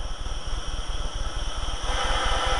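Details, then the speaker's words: Acetylene torch converted to propane with a Gentec KA-51-TCPW kit, outdoors in light wind: steady roar, then brighter hiss as oxygen is added; correctly adjusted oxy-propane flame about 3.5 to 4 inches long. "add your oxygen and you'll hear the difference as it comes down"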